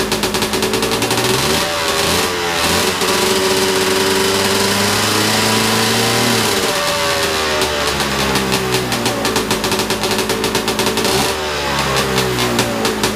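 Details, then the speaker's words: Big-bore stroker 277 two-stroke snowmobile engine after rebuild and PTO seal fix; buzzy revs in rising and falling sweeps, then fast crackly idle that never drops low; idle speed too high. "going to lower the ignition a little bit see if that slows down the idle"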